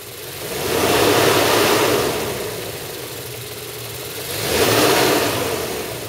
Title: MB 500CL 119 Engine - Timing Chain Noise Vid 1